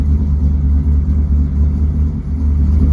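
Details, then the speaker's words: Edelbrock Pro-Flo 4 fuel injection on a 383 small-block V8 (aluminum heads, 10.8 compression, forged rotating assembly, ~250° @0.050 cam) in an IROC-Z Camaro; fully warmed up, about 9–10 in vacuum, deep even rumble at steady idle, purring, no misses—normal idle. "it warms up and it's fully warmed up at about 9 inches, maybe 10 inches of vacuum and idle, and you can hear this thing, it's purring like a kitten. It runs really well, and we have zero issues with any of what we're doing with this thing."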